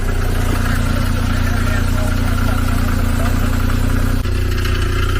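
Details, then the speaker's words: $500 Infiniti G37 (VQ engine) with MAF codes and a misfire under load, after new intakes, just jump-started: loud, even idle with a low, buzzy rattle and a dip near the end; exhaust rattle suspected, not confirmed. "I think that's the exhaust, bro. That's a something exhaust rattling."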